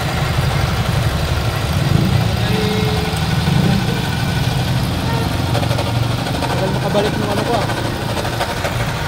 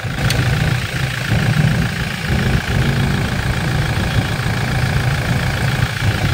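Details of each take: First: 2020 Toyota Innova 2.8 diesel (1GD) with a noisy engine, diagnosis being checked: steady rough idle with a gritty whirring layered over it; suspected worn alternator bearing (water pump, compressor, idler, tensioner and power steering pump also possible sources). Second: 2020 Toyota Innova 2.8 diesel, restarted after replacing the worn alternator bearing that caused a scraping noise: steady, even idle with a smooth low rumble and no squeal or scraping from the front. Normal idle, noise gone.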